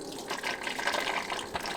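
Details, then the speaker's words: Four-wheel-drive turbo LS-swapped Audi Quattro race car, cooling system being filled after upgrade with pump at 12 V: gurgling, spitting rush of air and coolant at the bleed point. Large amount of trapped air purging. "Now we got, I can't believe how much air is stuck in there."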